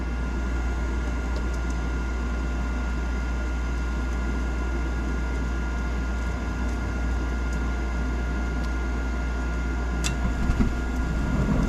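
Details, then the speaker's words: Nine-year-old Trane forced-air gas furnace after replacing the failed draft inducer and reopening the gas valve. The new inducer runs quietly with a low rumble, then the burners catch with a soft whoosh to full even flame; normal ignition. "now that our gas is on take two draft inducers coming on sounds nice and quiet you hear our flame starting"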